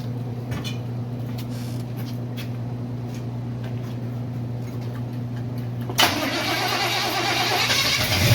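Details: Freshly built 350 Chevy first fire-up for break-in, oil pressure around 46 psi, timing not yet set; after a low hum it catches and settles into a fast, even idle with no knocks or ticks: normal idle.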